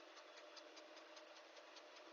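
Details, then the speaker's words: John Deere 5090M tractor pulling a Rome Plow box blade with Canamek laser grade control, grading a sports field: light crisp ticking about five per second over faint tractor hum from the valve assembly, normal as it adjusts the blade. "You might hear that tick, tick, tick, tick noise. That is that valve assembly out there."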